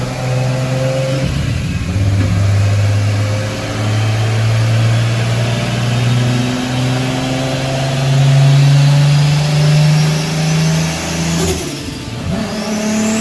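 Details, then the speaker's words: Toyota Supra on dyno: engine pulls hard, pitch climbing under load, then falters and cuts out abruptly; sounded odd with blow-off valve fluttering; engine failed, main cap or rod suspected, wrist pin pushed out. "you know it's shut down on the low like when the blow-off valve was fluttering it just sounded off sounded odd"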